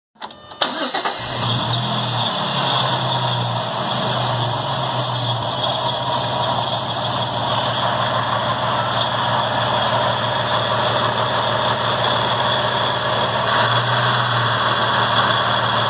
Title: Bad Water Pump noise on a Dodge 3.7L Part 2